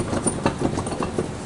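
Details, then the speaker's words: 2007 Chevy Impala 3.5, passenger-side wheel rocked by hand: rapid dull knocking about four a second from a loose, bad wheel bearing; customer reported grinding, shaking and steering wander; other side has no play. "so that's a bad wheel bearing okay this one here he shake this one nothing happens so this here needs a wheel bearing on this side well I could really shake it too you can hear it"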